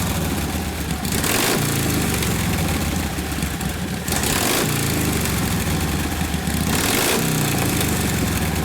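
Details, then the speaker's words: 1952 Harley 74ci panhead, rebuilt top end breaking in, rebuilt Linkert carb, no choke: loping big-twin idle with uneven beats, bogging on roll-on below about 1500–1800 rpm; mixture screw very touchy, 3 clicks between lean and too rich, set midway. "It's very, very touchy on the mixture screw. It's 3 clicks. Yeah, between lean and rich. Between lean doesn't want to run and too rich."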